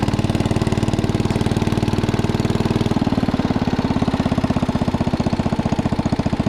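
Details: 1961 International Cub Cadet Original tractor, 7 hp Kohler single-cylinder, driven after tire and tube work: steady, even thumping at a constant pace with no knocks or misses; engine running healthy under drive.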